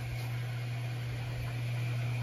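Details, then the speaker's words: Whirlpool WFW6620HW front-load washer after cleaning the drain pump filter, checking the valve at the bottom for leaks: steady low hum with a soft, even hiss of water filling, no chatter or banging. Normal water fill. "it's supposed to start filling with water now just want to make sure that valve is not leaking on the bottom I can hear the water going in"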